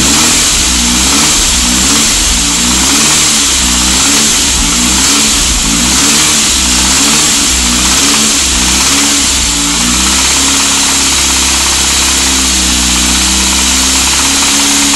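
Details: SAAB 9000 petrol engine: quiet at idle, but a rough knocking starts above 1500 rpm as it revs and eases as revs settle. Owner was told it is the bottom end and wonders about the timing chain or tensioner; not confirmed.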